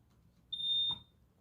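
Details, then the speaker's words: Hardwired smoke detector with batteries swapped about two years earlier: test press gives a single short, thin, quiet high-pitched chirp, not loud at all; weak test tone before the system is reset at the breaker. "it's not what I wanted to hear that is not loud at all"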